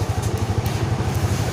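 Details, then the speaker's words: Yamaha Mio Sporty scooter that stalled and would not start without its battery, after a broken ground cable was found: an even putter of about nine beats a second, starting easily with no stalling. Normal idle. "tapi saya lepas dan motor udah normal untuk ya Enggak lagi dicoba lagi dicoba lagi ya nyalanya juga gampang ya teman-teman"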